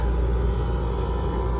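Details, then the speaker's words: Electro Freeze ice cream machine in diagnostics mode, right compressor running (left would only click): low, steady hum with no knocking, clatter or cycling; compressor running normally, burnt pump relays found but unrelated. "So, yeah, so it's working fine and we didn't do anything."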